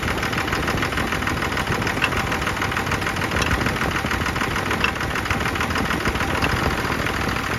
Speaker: sounding great everything all the air is out of the system to go back in action